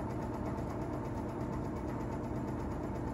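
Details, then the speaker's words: Vintage Toastmaster box fan, Model No. 5327, on low speed: fan hum with blade whistling and a fast, rough, steady chatter over it, motor howling slightly; chattering noise of unknown cause. "got the the whistling sound effects passing through you can really hear that chatter now i'm not sure exactly what that noise is"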